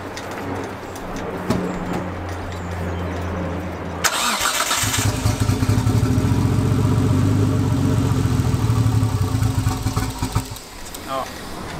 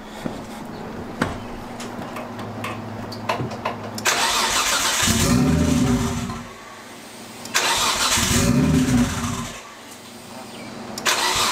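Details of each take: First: Nissan Skyline R32 GTS with swapped RB25 inline-six: lumpy loping idle running on three cylinders, then dies; coil packs suspected failed from heat. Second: RB25-swapped Nissan R32 Skyline GTS first start after swap with corrected driveshaft: cranks briefly, catches, two clean throttle blips then even idle; healthy first start, later misfired, coil packs suspected of overheating.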